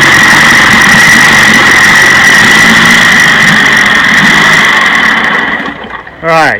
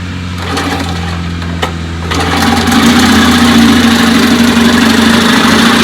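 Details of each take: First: 1956 Johnson 15 HP two-stroke outboard running and sputtering with an uneven, stumbling beat: the misfire has moved from the bottom cylinder to the top cylinder, which is not firing. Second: 1956 Johnson 15 hp outboard after replacing points on the misfiring top cylinder; starts and settles into a steady, even buzzing run with no stumble, running healthy.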